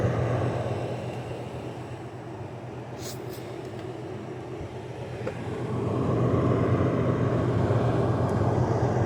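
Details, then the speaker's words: LG 6000 BTU window air conditioner with rotary compressor, first start of summer 2022: only the fan runs, airy rush and low hum, compressor not yet started, likely on its roughly 3-minute compressor delay that lets pressure equalize. "It maybe it's on its compressor delay. once again, this one has a compressor delay."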